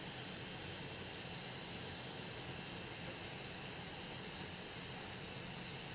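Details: Alienware Aurora R7, 850W PSU with reference GTX 1080 under gaming load: constant faint high hiss with a thin whine, occurring only under graphics load; cause unknown.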